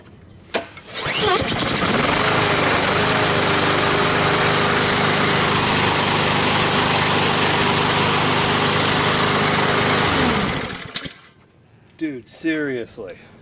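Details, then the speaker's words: New 21-inch self-propelled Honda-engine lawn mower, first start with fresh oil and gas. Catches on the first pull and settles into a steady, even idle with no misses or knocks; sounds healthy. "hey seriously it just got the oil in there the gas first pull man sounds good i'm telling these honda engines man they've always been good"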